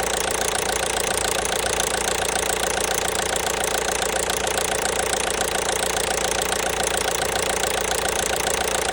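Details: 1.5 BlueHDi (DV5RC) diesel at idle: a steady, even knock about three or four times a second over the clatter; engine knock, source unknown.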